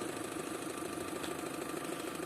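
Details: Opel Astra at idle with a light, quick regular tapping about six per second; diagnosed as the intake manifold flap knocking.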